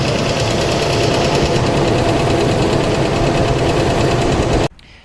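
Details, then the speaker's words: Mercedes W140 S500 V8 after long trip on Rotella oil, owner trying Rislone additive: loud, fast even tapping about four per second over the idle, stopping at shutoff; valvetrain tick, cause suspected not confirmed. "so as you guys can see that is absolutely terrible it started to tap loud"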